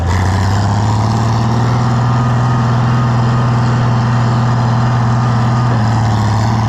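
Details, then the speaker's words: Oliver 1650 tractor engine after governor replacement and adjustment: deep even drone holds constant speed without surging or hunting; governor responds right away; engine has a slight tick, old governor pieces may remain in the pan. "I don't think it's better either. responds right away."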